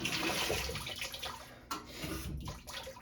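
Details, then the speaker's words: GE stackable washer being repaired for not draining, drain-and-spin selected with lid lock engaged: quiet rushing, splashing water flows steadily with no hum or grinding; normal short initial fill. "These machines always run a little bit of water before doing anything. I hear it."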